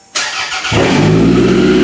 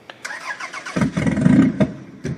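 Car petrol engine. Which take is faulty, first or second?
second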